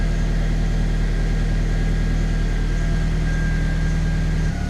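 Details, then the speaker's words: Honda K20-swapped project car warming up after replacing suspected faulty idle control valve, coolant being bled: steady fast idle from about 1500 rpm with even low pulse, settling lower as choke comes off; normal warm-up. "Sounds like the choke's just trying to come off now, so hopefully that'll slowly keep dropping."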